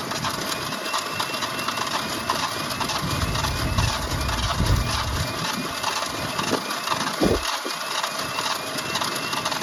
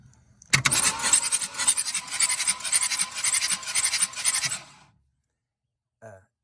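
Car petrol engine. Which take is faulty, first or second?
first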